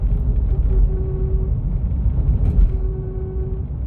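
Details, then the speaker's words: VW Golf 4: faint steady hum under road rumble that seems to come from the rear left, only when steering right, not left. It appears only after longer driving. Rear brake discs and pads are new, and several workshops found no cause. "das kommt irgendwo hinten links weg aber es hat darauf nur am zustand und nur wenn ich nach rechts lenkte dann hat das nach links ist alles okay"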